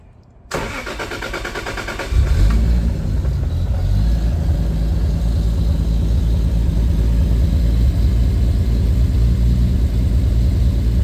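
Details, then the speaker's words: Lexus IS300 2JZ-GTE swap on Fueltech FT550, timing locked at 10° for timing-light check, idle controlled by timing so may idle oddly: short crank, catches with a rev flare, settles to a steady deep idle with slight unevenness; normal start and idle. "let's start up it might idle a little bit weird cuz we're doing idle by timing so having it locked at 10° might throw off the idle a little bit let's see"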